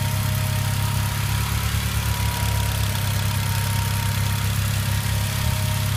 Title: Engine clicking sound 3/27/14